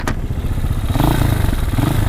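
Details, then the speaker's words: Chinese motorcycle with newly installed clutch plates and fresh oil, checked before riding: low, lumpy idle with light clatter but no grinding, slipping whine or rattle; the clutch sounds good. "Let me listen to my clutch. I just put new plates in"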